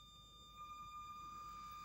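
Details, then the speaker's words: Redcat Ascent32 nano crawler at slow-speed crawl: faint, thin, steady high-pitched whine from the ESC/receiver over quiet background, with slight lurching and jerky low-speed modulation; noticeable, pretty noisy ESC whine. "Well, man, that wine from the ESC receiver, it's noticeable. I'll say that. It's pretty noisy. Pretty high pitched."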